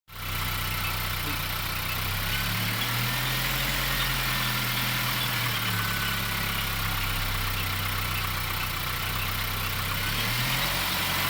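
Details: Abnormal noise from a VW Golf 7 engine at idle: steady idle with a gently wandering low drone and a hissy, rough background; something sounds off, cause unclear.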